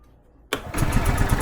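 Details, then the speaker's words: 2005 Club Car Precedent gas golf cart, first start after sitting 5 years, running on fuel in the bowl: cranks, catches at once and settles to a quick even beat well above normal idle; governor out of adjustment. "now see it already started cuz the governor's out of adjustment"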